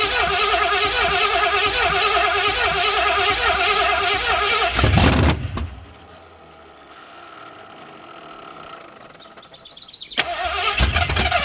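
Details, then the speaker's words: 1981 Ford Mustang 5.0 V8, carbureted, parked since 1996, fed from a temporary homemade aluminum tank whose petcock was left closed: rough cranking catches briefly, then the carburetor backfires with a sharp whoomp and the engine dies. "That initial fire scared me. I wasn't expecting it to happen so soon. I woke up the neighbor's dogs."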